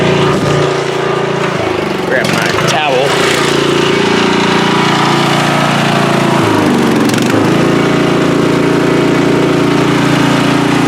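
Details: Free riding mower, tank previously drained, running after flood-prone start attempts with fuel clamped off to stop flooding: small single-cylinder engine at constant speed, steady even drone, no misses or surging; sounds healthy.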